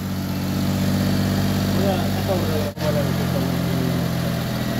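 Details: Suzuki Alto after crank-no-start repair with fuel injector cleaning and new spark plugs: steady, even low idle with smooth unbroken drone, no knocks or misses; engine runs cleanly.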